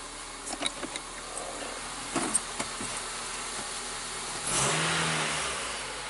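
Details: 2003 Honda Civic EX 1.7 after alternator replacement, started before the power steering pump was refitted. A few clicks and knocks, then it catches and settles into a smooth, even idle with no squeal or rattle. Normal running.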